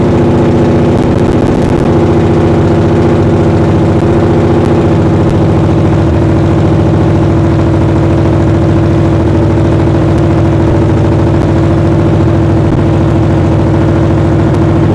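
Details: 800hp V8 in a 1931 Ford Model A, idling in the shop after ignition on and fuel pumps one and two: heavy, steady idle with a strong low rumble and no stumbles or knocks; normal idle.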